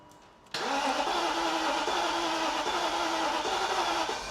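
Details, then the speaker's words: BMW Alpina B10 4.6 V8, abandoned about 12 years, first start with a bit of engine oil put in the cylinders: catches instantly after a brief crank and settles into a smooth, even, quiet idle with no knocks or misses; normal idle. "oh mate we take that all day long did you hear how quiet that sounded"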